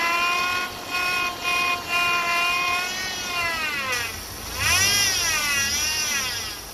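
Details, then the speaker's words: 2008 Chevy Impala V6: high whine rising and falling with revs, still present after the power steering pump was replaced. Air bubbles are visible in the reservoir. Power steering pump whine from aerated fluid. "When you look in the corners, there are little bubbles. See it? Reflecting off the light? Those are air bubbles. That's what's giving you that noise."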